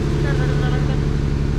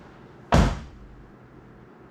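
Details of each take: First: 2020 Jeep Gladiator 3.6 with code P0302, flashing check engine light when driving, coil pack last touched: low heavy idle with uneven stumbling pulse, one cylinder dropping out; rough idle misfire on cylinder 2, cause unconfirmed. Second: 2020 Jeep Gladiator 3.6 after a cylinder 2 misfire (code P0302, flashing check engine light): after replacing the failed coil pack, a short crank catches quickly into a smooth, even idle with no stumble, running much better.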